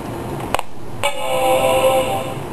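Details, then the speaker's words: Apple PowerBook 170 being fixed, plugged in with its battery removed: a click, then a clean sustained chord for about a second with hard drive activity, the normal chime of a successful power-on; it still needs an operating system. "hey turned on let's look at that see this her activity in the hard drive"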